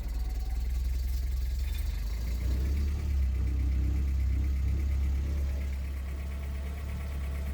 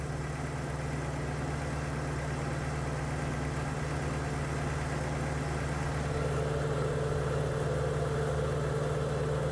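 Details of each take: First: Uneven, wavering low drone of a 1983 Porsche 944 engine held on the throttle, sagging and unwilling to idle or restart because bad fuel remained in the injectors; runs better as fresh fuel comes through. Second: 1983 Porsche 944 project car at steady, even idle with low hum and cooling fan whirring before it shuts off; engine settled and no longer shaking, though owner suspects a slight idle air control valve problem.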